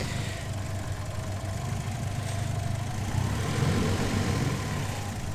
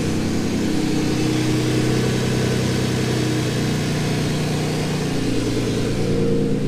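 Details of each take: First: Twin-turbo Ford Capri with a new vacuum leak, just back from a test drive. The idle is set too low, so it is low and uneven, hunting and stumbling; it is wound back in a bit. Rough idle, cause unconfirmed. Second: Twin-turbo Ford Capri after lowering the throttle set screw; steady, even idle with a low throb and no hunting or stumbling, about right though still a smidge high.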